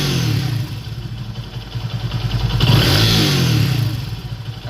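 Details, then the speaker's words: Bajaj Vikrant V15 motorcycle after one-way starter clutch repair, steady even exhaust beat rising smoothly with throttle and settling back, no knocks or rattles; earlier bad noise gone, engine sounds healthy. "कोई भी आवाज़ नहीं है भाई के अंदर"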